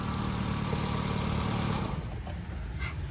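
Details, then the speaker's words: 2007 Hyundai Santro Xing XL petrol with AC running: steady, even low idle with no ticks, knocks or whine; engine quiet and healthy, AC chilled, only general servicing and oil change due. "AC chilled ఉంది sir. ఇంజన్లో ఎటువంటి noise లేదు."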